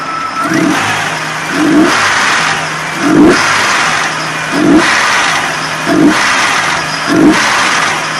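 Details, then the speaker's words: Nissan Frontier, VG33E V6 with hydraulic lifters, 183,000 miles, warming to 168° with idle near 800 rpm: engine blipped, a light clicking rattle on each rev drop; lifter noise suspected. "can hear the lifters rattling from the sudden acceleration drop so you can see our temperature is 168."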